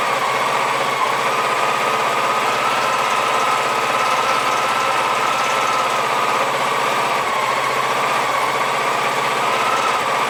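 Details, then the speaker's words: Honda PC-800 motorcycle at 60,000 miles, cold start after carburetor balancing at 4000 rpm and a paper air filter: on partial choke the idle slowly rises and falls between about 1800 and 2400 rpm during warm-up; cause unconfirmed. "hear that hunting the rpm is cycling between 1800 and 22 400 back and forth back and forth so"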